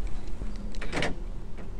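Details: Land Rover Freelander 1 central locking after door lock motor repair (commutator cleaned, brushes checked): a quick pair of crisp actuator clunks. The locks cycle cleanly and work properly.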